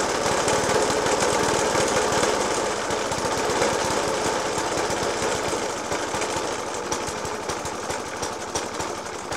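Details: Suffolk Punch 30S lawnmower (1991 era) with Dellorto FCH 20 carb: small thumps with loud uneven bangs about four a second at idle, persisting after spark plug change, decoke and carb clean; cause unknown.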